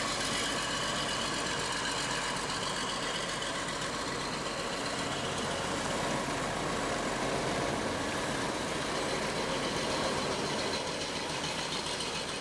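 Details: Bus diesel engine after fitting a new 5.5 kW starter motor, with the fuel pump rewired, running on its own fuel supply: steady, even diesel clatter at idle with no misses or knocks.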